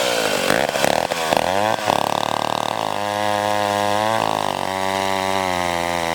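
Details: McCulloch 1-42 two-stroke chainsaw, restored project saw, cutting wood: crisp scream that bogs slightly into the cut and clears as the throttle comes off; healthy saw pulling well under load.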